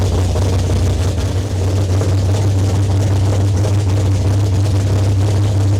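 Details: Foxbody 402ci stroker Windsor V8, Vortech T-1 supercharger, big custom HR cam, TFS R heads, long tube headers, Holley EFI, freshly built, warming until thermostat opened: deep loping idle with heavy steady rumble, no leaks; normal idle.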